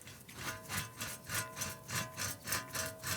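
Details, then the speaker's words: Van wheel bearing removed and spun by hand: gritty, rasping grind surging with each spin, worn compared with a good bearing; on the road it caused a roaring noise. "when I removed the part and spun the bearing by hand, it made a grinding noise. I compared it to a good wheel bearing, and the difference was obvious."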